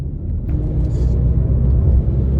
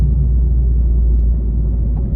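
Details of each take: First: Mini JCW after full engine rebuild for head gasket failure, first drive after MOT and wheel alignment: deep steady drone while driving, present straight and turning left, gone turning right; owner suspects a worn wheel bearing. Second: Rebuilt Mini JCW driving at cruising speed: steady low road rumble with no drone or growl; the bearing noise is gone and the car sounds healthy.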